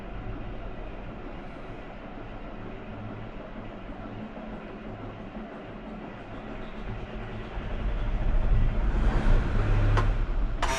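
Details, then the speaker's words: Road grader diesel that sat long; weak fuel shutoff solenoid spring not pulling shutoff lever fully forward, lever in normal position: steady cranking about four beats per second drags on before finally firing and roaring; hard starting, owner says not the fuel. "I'll show you how it won't start it'll crank and crank and crank and finally start"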